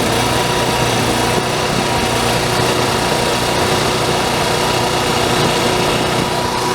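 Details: Onan 4000 RV generator after carburetor replacement and governor screw adjustment, unloaded: steady even high-pitched drone for seven seconds, no misses, surges or knocks; normal running.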